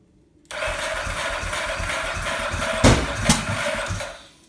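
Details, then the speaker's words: 2002 Ducati 998 no-start, recently serviced, timing verified, fresh fuel and filter, new battery, plugs and relays, strong spark and injectors spraying: cranks steadily, won't catch, with two sharp pops backfiring through intake then exhaust; cause unknown. "loud backfiring through both the intake and then a puff out of the exhaust"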